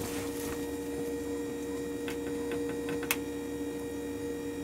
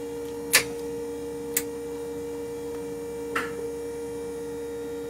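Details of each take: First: 1978 Jeep CJ7 EV conversion, recorded inside a warehouse where noises are amplified: the electric power steering pump runs a little noisy with a steady low hum. It quiets down after sitting a few minutes with no load. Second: 1978 Jeep CJ7 electric conversion, drive motor spinning up after being balanced (it had been quite out of balance); steady, even hum with a faint tone and a few light clicks, no wobble or thumping: normal smooth running.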